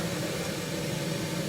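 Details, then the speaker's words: 1974 HydroTherm gas-fired hydronic boiler, first firing of the season after cleaning. Steady low roar with an even rumble and no pops, surges or flutter; the burner is firing smoothly and normally. "The burner, let me just get into position, is firing nicely, so that's good for a change."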